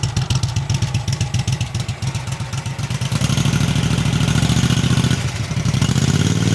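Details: Cub Cadet 2186 Kohler Command CH18/CH20 twin after rebuild, ticking cured by reinstalling OEM pistons and wrist pins: even low throbbing beat that steadies as revs settle, no top-end tick left; running healthy.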